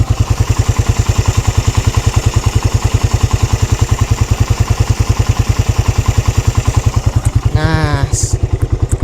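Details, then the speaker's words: 2013 Suzuki Satria F at idle, about 63,000-64,000 km, listened to on the left cam chain side, its known weak point: steady, evenly spaced single-cylinder pulses with no rattle or tapping; cam chain healthy. "Satria F itu kelemahannya di rantai keteng ya dan yang gua dengerin dari sisi sebelah kiri yaitu bagian keteng ini masih aman"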